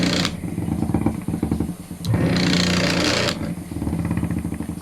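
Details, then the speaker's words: Ice crusher that only hummed and wouldn't spin, test with substitute 5 µF starting capacitor: motor spins up with pulsing, rattly drone, no stalled hum; runs normally, confirming bad original capacitor (8 µF needed). "So try natin i-switch. So ayan guys gumana siya."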